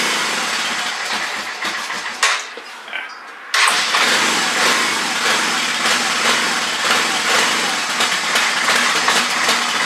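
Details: Honda Fourtrax 300 ATV, sat in the weather for years, first start attempt after fixing fuel delivery (cleaned petcock and tank, new fuel line): cranking and sputtering, brief gap, then the single fires and runs ragged and uneven; idle screw adjustment noted.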